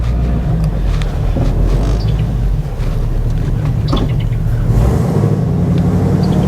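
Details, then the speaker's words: 2011 Chevrolet Camaro SS LS3 manual, driving after sitting months for a scary engine noise (bearings or lifters suspected): steady deep V8 rumble under road and wind noise, smooth and even, no top-end ticking; sounds good. "yeah it sounds good"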